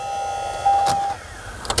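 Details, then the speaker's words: 1998 Ford Contour replacement blower motor, plugged into the connector as a test before installing: a short, clean motor whine holding steady, then winding down smoothly with handling clicks. The blower motor runs fine. "It also occurs to me before we get started, the electrical connector is right down here, and I could just plug this in and see if this blower motor works. It does."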